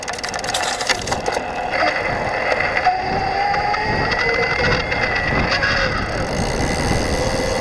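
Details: 2022 Yamaha Wabash RT e-bike, PW-Series ST mid-drive motor at low assist, gentle riding: irregular scratchy chirping and chatter over light motor hum; absent uphill, pushing harder or at higher assist.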